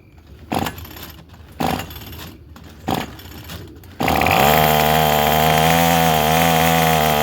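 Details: Craftsman 27cc two-stroke string trimmer, made January 2013, restarted after it suddenly stopped: three pull-start rasps, then catches into a steady high buzzing run with no sputter, some smoke; running fine.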